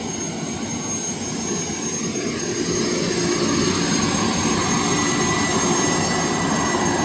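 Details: Boeing T50 jet turbine-powered Camaro at idle, oil pressure just over 10, throttle linkage not yet hooked up: steady even turbine whoosh with constant high whistle, no surging or pitch wander; healthy turbine settled at idle.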